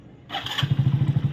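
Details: Hero HF Deluxe motorcycle with a self-start problem. A brief whir, then even low thumps about eight per second as the engine turns over on the electric start without catching; hard starting.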